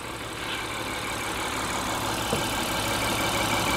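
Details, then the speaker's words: 2016 Honda Pilot 3.5 V6 with P2652 rocker arm oil pressure switch code: steady low, even idle with no hunting after repair, no longer high, at 13.68 V charging. "okay so right off the bat our engine idle is a lot lower right now so this is good this already sounds good to me okay the idle is not high"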